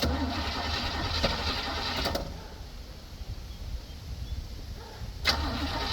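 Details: 1965 Chevrolet C10 with new battery cables, cold day: starter chugs steadily about four beats a second, cranking on without firing before finally starting; long cold-start crank.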